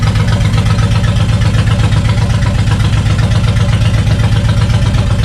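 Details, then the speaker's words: Suzuki Intruder VL 1500, sat for years, after carb cleaning and decompression valve check, no choke at 80°F: loud even low rumble, steady beat about four per second, no misses or knocks; twin idling cleanly. "right now we have a beautiful running bike sounds gorgeous it's very loud"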